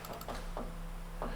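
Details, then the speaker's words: 1992 Mercedes S-Class W126, plugs running rich, fuel pump powered during fuel distributor baseline adjustment; steady low electric hum with faint handling clicks, no fuel yet from the ports; fuel pump running. "so you can hear the fuel pump running there there's no no fuel coming out of any of those ports"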